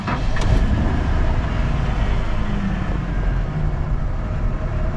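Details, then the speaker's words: OBS Ford truck with OBD1 system and suspected lean condition, engine still warm from recent running: low, rumbly idle with an uneven, lumpy beat that stumbles now and then; cause not yet pinned down; rough running stumble. "Hear how it's stumbling? Kind of got a mist developing."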